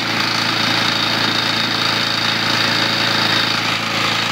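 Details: 1970s Briggs & Stratton 3.5 hp small engine, started with cordless drill, running: rapid fairly regular knock about four per second under buzzy exhaust; bad rod knock, engine still runs strong.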